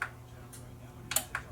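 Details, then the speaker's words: Yamaha RX-N600 receiver with no sound output on tuner: sharp dry speaker relay clicks over faint hum switching speaker A/B and off/on, relays normal; DSP suspected. "the speaker relay kit clicking in. So, speaker A, speaker B, speaker A. If I turn it off, you'll hear it turn off and back on."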